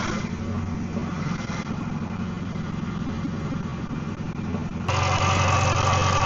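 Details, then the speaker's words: Car idling after fresh power steering fluid was added: steady low even beat, stepping up slightly near the end, no whine or knock. "Not too bad, not too bad at all. So now that I've actually filled up the new one into it, I'll let it run for a couple minutes, and then after that I'll take it for a drive so everything can clean, go through it."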